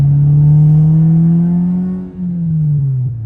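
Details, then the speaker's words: 1996 Honda Civic hatchback on a test drive just after purchase: loud, deep steady exhaust drone rising slightly with road speed, dipping then returning; exhaust hitting the frame and vibrating, needs fixing. "yeah that's the exhaust hitting the frame too vibrates pretty good not sure exactly who can drive something that sounds obnoxious but"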